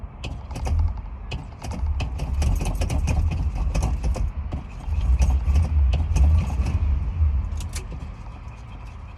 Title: Cranking and hard starting again